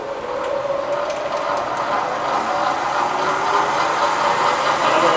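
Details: Bridgeport Vari-Speed milling machine with 42-inch table, after a full strip-down service, run in the low-range back gear: a steady, even gear whir with a soft mid-pitched hum and no knocks or grinding. It runs smoothly.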